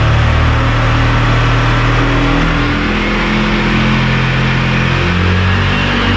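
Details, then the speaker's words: 2019 Italika DS 150-G single-cylinder motorcycle after new carburetor fitted (old one flooded, plug carbonized, black smoke): buzz climbs steadily low to high revs without stumbling; no more black smoke, runs clean. "ya no echa humo negro empieza a celebrar de menos a más"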